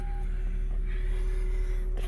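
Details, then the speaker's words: Lexus/Toyota starting normally on a newly chipped valet key just programmed with an Autel MK808 via OBD2; engine catches and settles into a low, steady hum with no stumble, so the programmed key works. "So as you can see, it does start."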